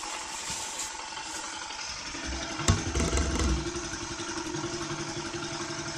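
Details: Used Cub small single-cylinder engine on first start after being removed, disassembled and checked internally, before registration; catches after brief crank into light, even tick-over with some mechanical clatter: normal idle.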